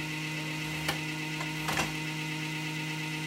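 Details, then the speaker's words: Dry-bearing computer-style cooling fan in a donated Toshiba (Funai) DVD recorder/VHS combo: steady buzzing hum with rough rattle and scrapes, vibrating the whole unit and possibly wiggling the picture; bearing to be lubricated. "yeah that fan is noisy is anything it will affect the pictures it's making it's putting a vibration through the whole unit"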